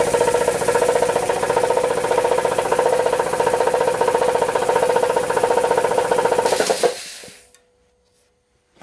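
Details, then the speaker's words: Air compressor pump building toward 40 PSI: fast regular clacking, nearly four per second, from one cylinder over the pump's hum under load, then the motor winds down; owner suspects piston slap or a bad piston ring, unconfirmed. "now it's kind of clack in one of the uh cylinders when it gets under pressure right now it's not doing it"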